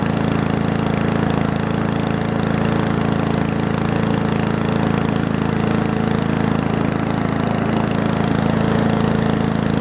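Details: Finished Murray push mower with Briggs Classic engine, original muffler kept, toggle kill switch fitted: steady, even single-cylinder chatter at constant speed, no misses or surging for ten seconds; runs and cuts fine, healthy.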